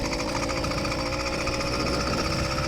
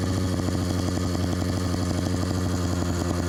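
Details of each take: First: Stock YD100 two-stroke engine on bike with about 100 miles, no issues so far, just started on choke: fast, rattly buzz holding a steady, even beat without misses or surging; healthy idle. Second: Bike fitted with LA Hover Bikes Phantom 85 two-stroke engine (MS460 piston): loud, steady fast buzz with no throttle; idle set too high, carburetor needs adjusting to turn it down.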